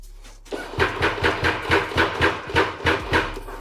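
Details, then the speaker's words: MV Agusta F3 RR motorcycle that won't start: the starter clatters in quick uneven bursts, about four a second, but the engine never catches. Battery reads 12.3 V with no load; low voltage under load is suspected. "So, we've understood that the voltage could be a problem. In my opinion, maybe it's the peak. Basically, it's the missing voltage."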